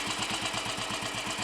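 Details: Royal Enfield Bullet 500 single-cylinder after head gasket replacement, exhaust blow fixed, baffle removed and carb needle raised, on choke: even, steady thumping at about ten beats a second with no misses; healthy idle.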